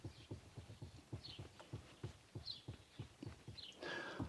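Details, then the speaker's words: VW Golf Mk2 steering column, top cover removed, rocked by hand: dull knocks about three a second from the worn upper steering column bearing free play, to be removed with a puller. "This is the bearing there. You can see, look at the play in that. Don't know if you can hear that as"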